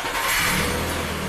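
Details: 2011 Suzuki Equator (Nissan Frontier) 4.0 V6 with a long cold-start no-start, after immobilizer key registration: engine catches at once and settles into a smooth, even run with no stumble or misses; normal start.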